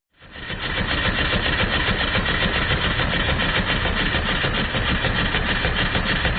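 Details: Stuart triple expansion model steam engine on live steam, run outdoors because the workshop is cold; even rapid chuffing about three and a half beats a second with light clicks from the vacuum and water pumps; running smoothly.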